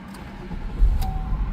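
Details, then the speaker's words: Classic car with prior intermittent no-start, after fitting correct larger battery (690 to 840 cold cranking amps): engine catches within a second with no dragging crank and settles into an even idle; starts right up. "oh man, no hesitation, started right up."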